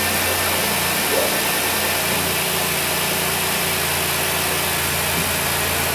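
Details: High-mileage 2008 Dodge Grand Caravan, replacement 3.8 L engine, running while being filled with Mopar 5-year coolant: steady even idle under background hiss, no misses, knocks or rattles; sounds healthy.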